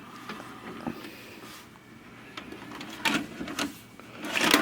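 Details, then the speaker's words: Vintage VHS/DVD combo, VCR side: takes the tape in, brief motor whir and clicks, then shuts down without pulling the tape; owner suspects mechanism binding, probably gummed up, unconfirmed. "takes the tape in can hear it try to start and then it shuts down so it's binding up uh probably all gummed up that's normally what's going on when they do that"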